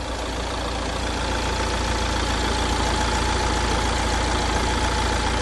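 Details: Mercedes C200d 1.6 four-cylinder diesel after timing chain replacement for a noisy chain: steady, even idle with a smooth regular beat and no rattle or ticking. Normal idle.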